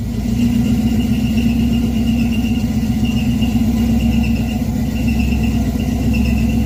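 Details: Chevy V8 stored since 2010, first start in 15 years after new carb, fuel pump, plugs, wires, Hooker headers, H pipe and Flowmaster mufflers; steady high squeal over a rough, loud engine note under revs; source not pinned down.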